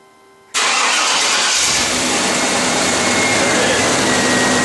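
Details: 1995 Chevy Tahoe with 5.7 TBI, crank-no-start, after swapping in another fuel pump relay: silence, the fuel pump runs, then the engine catches at once into a steady, even run. Normal start; a bad fuel pump relay was the cause.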